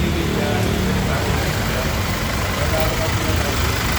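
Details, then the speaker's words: Toyota HiAce Grandia after alternator repair, now charging 14 V with the battery light off; steady, even idle with a low hum and the earlier metallic scraping noise gone, runs healthy. "Yan, wala na yung parang nagkakaskasang mga bakal."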